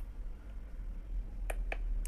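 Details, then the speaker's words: Coffee maker that won't heat: three sharp relay clicks over a low hum, no heating or pumping sound. The board is sending voltage, but the 220 V 800 W heating element is faulty and neither heats nor draws water; the element is to be replaced. "vou ligar escuta o barulhinho ó ligou e a lâmpada desligando Então significa que tá tá tudo ok a placa está chegando um tensão lá na resistência só que ela não esquenta e não puxa água"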